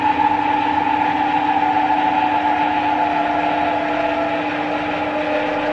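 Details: 1977 Schaublin 13 milling machine spindle in the low range, being run down toward 58 RPM: a steady, even hum with a smooth gear whine that eases down as speed drops; a quiet, healthy spindle.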